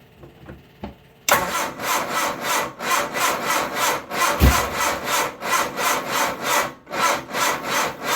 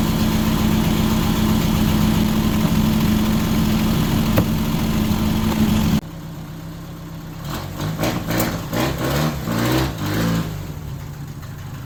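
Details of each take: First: 1978 MG Midget, 4-speed manual, side-draft carbs, long neglected, on a small jump box, fuel pump running: slow uneven labored cranking, about three compressions a second, never catches; owner suspects jump box lacks power; slow cranking. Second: 1978 MG Midget with side-draft carbs and a 4-speed manual, running after years of sitting: steady, even idle with a smooth low burble and no misses or tapping; idles happily.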